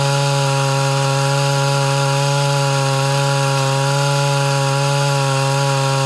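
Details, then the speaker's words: Mildly ported Homelite Super XL Auto chainsaw cutting dry wood; steady high scream under load, even pitch with no four-stroking burble; a spark plug check after shutdown showed a slightly lean mixture. "so i shut it off like that to uh do a spark plug test and it did end up showing just a slight lean"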